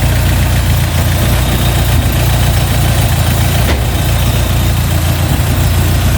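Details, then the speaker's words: Opel Manta GTE Exclusive, abandoned for 30 years and running on 30-year-old fuel, started on the first turn of the key: a steady, even low rumble with no misses or hunting; normal idle. "well I can't believe that literally first flick of the key what are the chances of that wow"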